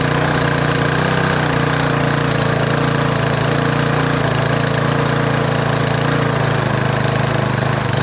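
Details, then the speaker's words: Single-cylinder lawn mower after its broken muffler bolts were drilled out and the muffler refitted, air cleaner off: steady fast patter with a slightly irregular beat from carburetor and choke issues not yet resolved. Otherwise sounds good. "right, so that sounds pretty good. Obviously it's got some carburetor and choke issues that I haven't resolved yet."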